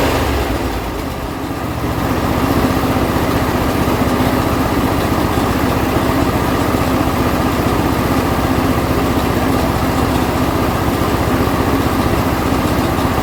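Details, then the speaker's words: John Deere L120 mower after a carburetor replacement, choke on and throttle about midway: the single-cylinder engine catches after a brief dip and settles into a steady, even putter. Normal running with no gas poured in the carburetor. "So it did fire up, so that's a good sign. I mean, I didn't have to pour any gas in the carburetor or anything like that."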